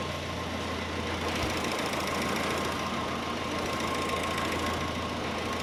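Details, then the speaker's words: 1946 Jeep CJ2a flathead idling in neutral after the fuel line was reconnected to the fuel filter; steady, even idle with a smooth low rumble and no misses or knocks, running fine. "Runs great. Runs great. Why does it run great? I don't know."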